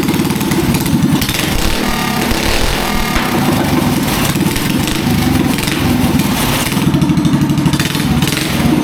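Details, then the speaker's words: Rebuilt Predator 212cc racing engine with a Nibby carb and short exhaust, fitted on a go-kart after a seized-engine rebuild. Crisp single-cylinder bark revving cleanly with no misses or knocks. It runs normally. "Well guys, we fixed up the engine. It's running great, sounds great."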